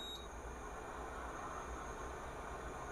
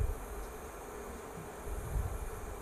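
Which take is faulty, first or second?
first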